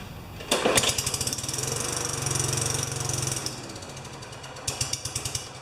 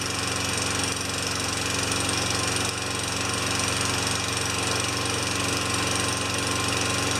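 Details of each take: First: Tecumseh 4 HP Yard Machine mower, primed: catches with rapid uneven popping, runs about three seconds, dies, then sputters briefly; won't keep running even with the dirty air filter removed. Carburetor suspected, carb clean planned. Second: Tecumseh 4 HP Yard Machine mower that had stalled after a few seconds, after governor linkage work with fresh gas, primed six pumps: steady, even note about four beats a second, no misses or surging. Runs great.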